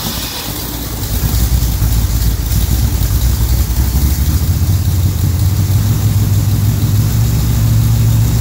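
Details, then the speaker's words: Pontiac Rochester Quadrajet carburetor with choke pull-off set too tight: deep uneven lumpy idle that smooths when the choke blade is pushed slightly open; rough running from pull-off opening too little. "if you notice whenever I push that blade open just a little bit with my finger it Smooths out so if you have it too if it's too tight it's going to run rough it's not going to run smooth"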